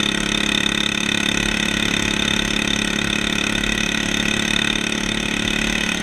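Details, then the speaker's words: 150cc engine in a Yerf Dog shifter kart, first test drive: small single-cylinder idling with a lumpy, burbling stumble from running lean. "so foreign you can really hear how it's running lean"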